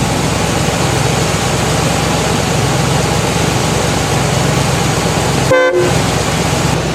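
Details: Buick started spring 2024 after sitting untouched since about September 2023, battery charged; engine still cold, idling in background, then one short clear horn blast; horn works fine.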